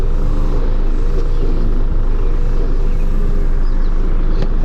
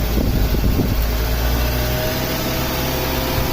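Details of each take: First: 1998 Mazda Protege 1.5L, sat almost 15 years, previously high idle and surge with emissions monitors not setting, after cleaning and adjustment: low, even idle near 775 rpm versus 781 desired, no hunting or surging. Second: 1998 Mazda Protege 1.5L with idle surge, a stuck MAF voltage and emissions monitors not setting, MAF sensor connected: steady, fast idle that never drops back down, with the throttle body stop found adjusted so the blade does not fully close; high idle.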